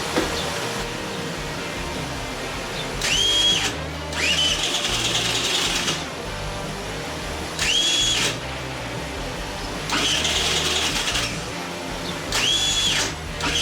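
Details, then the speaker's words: Tomos Nitro 50 scooter, unrun for 10 years and with its engine just reassembled, cranked off a truck battery: several short cranking bursts with a high starter whine, under two seconds each. The engine never catches; it cranks but won't start. "so i hooked it up to my truck and it sounds like it's about to go but i didn't let it go so let's see what happens"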